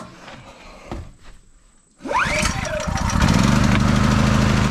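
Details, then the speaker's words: Open-frame generator, freshly filled with oil and gas, starting on its first pull, and warming up to break in before loading. It settles into a steady, even, fairly quiet no-load idle: normal start and idle. "As you can see, with no load on it whatsoever, it's pretty quiet, especially for a generator that's kind of open case like that."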